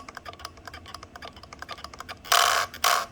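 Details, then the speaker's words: Radiomaster T20S transmitter: light rapid clicking, then loud scratchy squeaks as the gimbal sticks hit their endpoints under spring tension, persisting even after lubrication; cause suspected, not confirmed. "But the spring tension in there and the way it kind of reaches the endpoints and it's actually hitting the endpoints, and you hear the squeaking. This is after I've lubed it too."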